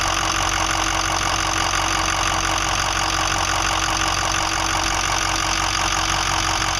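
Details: 2005 Ford 6.0L Powerstroke diesel, about 80-100 miles after eight reman injectors, new fuel pump, filters and oil change, worsening: loud idle with uneven steady knock near four beats a second; owner suspects bad harness, FICM or injector(s); rough idle with knocking.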